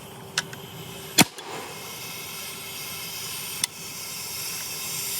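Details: 2003 Spyder Xtra paintball marker from a yard sale, aired up outdoors. Faint continuous hiss with a few sharp clicks, swelling again after a pause; air escaping from the marker somewhere.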